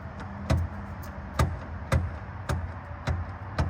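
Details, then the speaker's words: Ford Mustang rear axle, passenger side, rocked back and forth by hand: irregular dull clunks about twice a second, less bad than the other side but still showing play; owner suspects the rear axles are worn out, not confirmed. "At least it doesn't sound as bad, but it still shouldn't have play back and forth like that."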